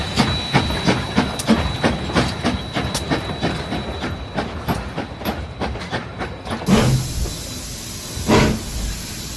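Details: Real-world steam locomotive example showing four chuffs per revolution: sharp, evenly spaced exhaust chuffs, four per wheel turn, over rail hiss. Normal, well-timed steam locomotive exhaust.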